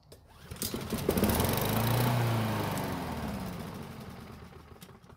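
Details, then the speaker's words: Free curbside Blackmax mower that would not start, with fuel poured into the carb: catches, runs rough a few seconds, then dies. Owner wonders about stale or watery tank gas. "again luckily it started and ran for a couple of seconds which is great news I now have to wonder if the gasoline that's in the tank might be old and stale or maybe it has some water in it"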